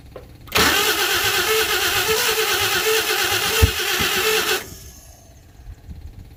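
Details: 1952 Chevy first start attempt with the fuel pump reinstalled: the starter churns hard for about four seconds but never catches. It cranks but won't start; the owner doubts the fuel pump is delivering fuel, and trash has come out the exhaust.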